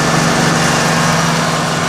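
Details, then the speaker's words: 1995 Ford F-250 4x4 after an R-134a AC recharge, with the low-pressure cutout switch bypass removed. Smooth, even engine hum with the compressor cycling in quietly and no squeal or grinding. Normal AC compressor operation. "and uh we now have the uh compressor attorney with uh without the bypass that I have on the uh low pressure cutout switch so it's operating"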